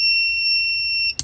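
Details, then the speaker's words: Inverter in a 2023 Kia Sportage Hybrid switched on with the car off: loud, steady high-pitched tone for about a second, then cuts off; owner believes it is an undercurrent alarm, not enough power available. "So that's an undercurrent alarm, I believe. It's not enough power to actually generate what this needs at this point in time."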